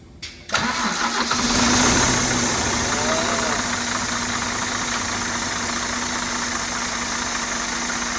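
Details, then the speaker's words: Scania truck diesel, first start after an engine rebuild: cranks briefly, catches and settles into a steady idle with a thin constant squeal on top, which the owner thinks is a dry belt; oil is seen reaching the top end. "Go on, Bobby. The belt sounds a bit dry though, doesn't it?"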